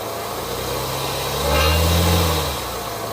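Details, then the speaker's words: 2019 Cadillac XT5 petrol engine idling, then a brief rev bringing a tinny metallic buzz: a rattle at 1,500 rpm that worsens with load, from a loose catalyst heat shield behind the engine, fixed by bending the shield. "It happens at 1500 RPM. Uh the higher the load, the the more pronounced the rattle noise is. But it is quite loud, quite annoying."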